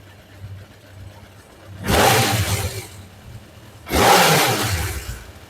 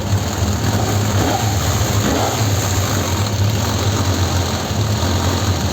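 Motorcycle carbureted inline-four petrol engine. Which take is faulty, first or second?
second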